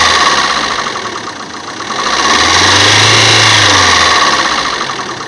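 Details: Opel Meriva A engine idling with a busy, fast ticking clatter up top and a brief low swell midway; odd engine noise at idle, cause unclear.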